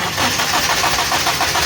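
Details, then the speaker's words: Suzuki Liana warmed slightly, long cranking with steady starter churn, even pulses about four a second, engine not catching; owner also reports long cranking when cold; diagnosed as ignition current weakening while cranking; hard hot starting, temperature sensor wires to be checked. "अभी ये थोड़ी सी गर्म हुई है गाड़ी, इसलिए थोड़ा लंबा सलफ ले रही है। ये देखो, ये गाड़ी स्टार्ट है, लंबा सलफ ले रही है मगर स्टार्ट नहीं हो रही।"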